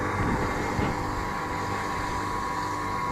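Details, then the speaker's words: Kitchen food waste disposer after replacing the upper shaft bearing (6002-2Z) and the seal, where moisture had apparently got past the seal: smooth, even mid-pitch hum with no growl or grinding, unlike its earlier loud whine. "Не ну по сравнению с тем что было да как он выл мы его даже после восьми вечера не включали чтобы соседей не пугать сейчас все просто супер друзья мои"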